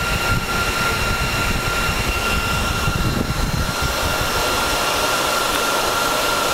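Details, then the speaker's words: Dell PowerEdge 2950 II server; steady fan rush with thin high whine easing slightly as fans slowly spin down from full startup speed, not yet at lowest; normal. "so we're not down to the lowest fan speed at the moment it's slowly going down"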